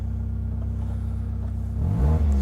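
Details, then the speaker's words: Cheap Mazda MX-5 with 56,000 miles on a cold start with a weak battery. Low, even idle rumble with no idle bounce, lifting slightly at the end; no knocks, and the belts look okay. It runs sweetly; normal idle. "And I tell you what, that runs pretty sweet. 56,000 miles, no knocks, that's a cold start."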